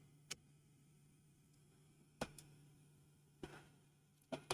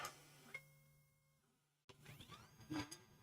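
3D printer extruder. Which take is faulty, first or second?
first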